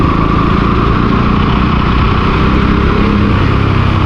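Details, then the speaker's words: Motorcycle after vacuum piston replacement, owner earlier suspecting vacuum piston, clutch or plug: steady, even single-cylinder beat holding one speed with no misses or knocks; feels more powerful with sudden pickup. "Finally guys നമ്മുടെ വണ്ടിയുടെ പണി കഴിഞ്ഞിട്ടുണ്ട്. അപ്പോൾ വണ്ടി കുറച്ച് പവറായി എന്ന് എനിക്ക് തോന്നുന്നുണ്ട്."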